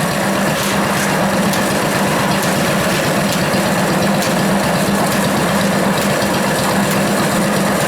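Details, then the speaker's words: Antique corn grinder driven by an early-1940s engine, with the burr plates adjusted tighter for finer meal: steady harsh rasping grind with scraping ticks over the engine drone as the plates start binding together. "so here they're starting to bind together it's really horrible noise about there hear that noise that's horrible right"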